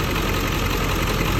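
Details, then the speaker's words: Ford 7.3 Powerstroke diesel truck at cold idle: heavy, rough clatter with uneven loping beat; passes injector buzz test but heat gun shows three cylinders cold — dead, non-flowing injectors; they fire once oil pressure builds driving; block heater needed for cold start. "but we're not getting fuel to some of the cylinders so uh i heat gun the cylinders and three cylinders aren't making heat"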